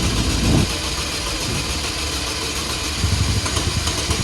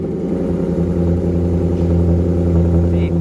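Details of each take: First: 2004 Chevrolet Malibu Classic idling lumpy and lopey, catching and sputtering. It is not running on cylinders 1 or 4, and it stalls when given gas. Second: High-mileage Maserati starting up: a deep, strong exhaust bark climbs and holds evenly with no rattle or miss. A healthy engine pulling cleanly.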